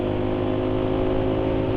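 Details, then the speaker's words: Engine with engine-oil additive WEPP 2111 added: steady low drone with a slightly uneven, coarse note at constant speed; still running rough, canola oil planned next; cause not pinned down. "suara mesin sekarang masih terasa kasar ya iya sayangnya wpp ini tidak sesuai ya kayaknya dengan harapan penulis ini ya"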